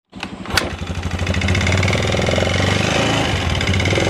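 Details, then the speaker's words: Carbureted Yamaha Xeon 125 scooter that is hard to start, with no smoke and weak power: it cranks, catches, then a quick light tek-tek ticking rides over the idle. The mechanic suspects the piston/bore, likely piston slap. "Nah itu ada surat ceker pedas tapi motornya itu nggak ngebul yo gak ngebul cuman ada suara tek tek tek terus tenaganya agak jeruk bambu"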